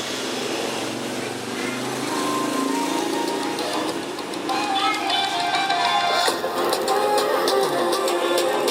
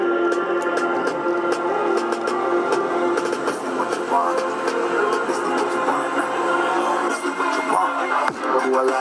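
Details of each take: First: JBL Charge 2 speaker that would not charge, faulty BMS: music plays, then crackles and pops break through louder passages as power fails to hold up, like battery voltage dropping; BMS fault. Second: JBL Charge 2 speaker after BMS repair, battery partly run down then recharged and charging again: music plays full and clean at steady volume with no crackle, dropouts or distortion; speaker working normally.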